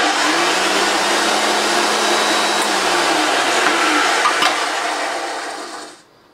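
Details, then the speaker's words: Hoover Junior 1436 Mk1 early plastic-hood vacuum cleaner running; steady high motor roar with a faint dry rough edge, then spinning down; motor bearings suspected slightly dry, not confirmed. "the motor bear is my little bit dry nobody dry they need dry bones bearings but that's not the end of the world"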